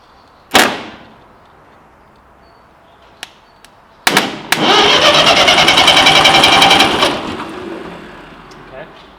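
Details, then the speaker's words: Ferguson TE-20 grey tractor, positive earth, starter tested directly with a heavy jump lead, turning the fan: sharp click, then even free whir for about three seconds winding down; working starter motor, slightly warm from the draw. "what we have there is a working starter motor. Obviously, be very careful when you're doing that because that takes a lot of draw."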